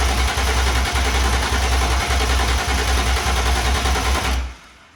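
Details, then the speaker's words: BMW E36 with swapped S54 engine, first start attempt after fuel pump and fuse installed: starter churns the engine over at an even beat for about four seconds but it never catches; cranks, no start. "Yesterday didn't go as planned, unfortunately. Car was cranking fine, never cranked over and started."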